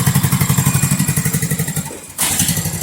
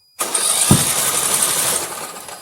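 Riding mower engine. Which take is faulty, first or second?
second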